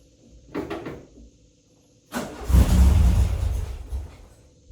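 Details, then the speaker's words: Car with 44IDF Weber carburetor, started without pumping throttle: short crank, fires promptly and revs up before easing back to idle; a normal start typical of this carburetor. "you see what I'm saying that's a normal typical of the uh this type of carburetor very typical"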